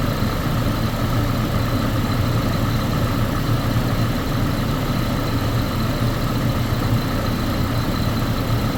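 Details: Chevrolet Colorado with an extended-crank problem after sitting, idling on a fuel pressure gauge reading 60 psi. Steady, even low idle with no misses, knocks or hunting; normal idle.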